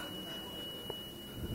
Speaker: Qu'est-ce que c'est que tout ce bruit en pleine nuit? Il semble que ça vient d'en bas.